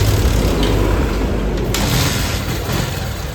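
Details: Pulsar motorcycle with an electrical fault (no spark, no start) and a bad battery, started after repair without the battery. Loud rough roar as the single fires and catches, settling into a steady throb: normal start.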